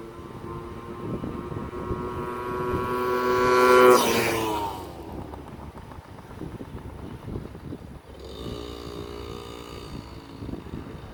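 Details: Yamaha PW50 two-stroke, revived after years in a shed, test ride: small engine buzzes and climbs in pitch pulling away, fades and returns cleanly; crisp, strong, running right.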